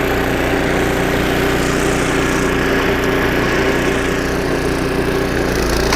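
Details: Snowblower about 25 years old, small engine after carburetor rebuild with carb kit and new needle and seat, working: smooth constant drone, even beat, no hunting or stumbling; normal running under load after repair.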